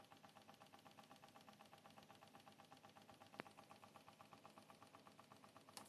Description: The unfortunately annoying rattling noise, produced by a Seasonic Focus GX-750 (former Focus Plus Gold 750)